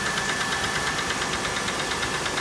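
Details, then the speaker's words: 1997 Oldsmobile Cutlass Supreme SL, engine overheated many times; steady idle with quick sharp metallic tapping knock; only code was cylinder 6 not firing correctly, owner suspects bad valve at number 6, engine and transmission to be replaced; engine knock. "It doesn't sound bad. You can hear a definite knock."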